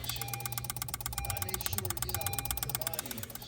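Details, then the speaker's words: 2016 Honda HR-V with no crank/no start, pressing start-stop in park after a repaired fractured fusible link: fast, wild relay clicking about three times a second and no cranking; power or ground issue suspected. "Um, if you can really hear that, all that wild clicking and then uh,"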